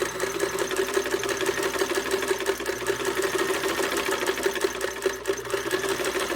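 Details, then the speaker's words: Restored vintage Davis-made Unique sewing machine, just reassembled, foot pedal: quick even needle ticking over a steady motor hum while sewing, hard to keep slow; balanced stitch, sewing properly. "it sounds like I'm revving the engine, it's because I'm trying to go slow. Not very successful."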